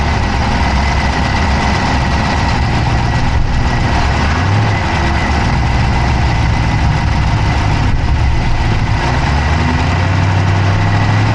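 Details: Dodge Charger Hemi V8 at idle, recorded inside the passenger-side engine bay: a steady idle with a fast, light ticking over the even rumble; a tick whose source is unclear.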